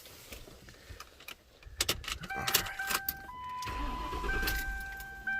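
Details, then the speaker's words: Ford Town Car, daily work car, after replacing the coil pack for a cylinder 8 misfire (third new coil pack): keys rattle, brief crank, engine catches and settles into a steady, smooth, even idle under a chime; normal idle. "nice and smooth yep well we're good again so i'm up to what three three new coal packs so we'll see see how the other ones last"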